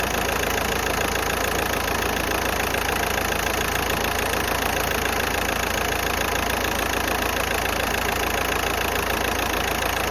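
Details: Golf 5 1.9 TDI diesel idling with a steady, fairly even clatter around three beats a second and slight unevenness, engine shaking; rough idle, cause unknown.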